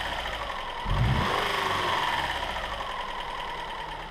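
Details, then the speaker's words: Subaru 2.5 SOHC interference engine after broken timing belt and shattered driver-side cam pulley, new belt fitted, test fired without cooling system: catches at once, steady even idle, no misfire codes; engine apparently undamaged. "Well, there you have it, guys. A pretty smooth running little engine."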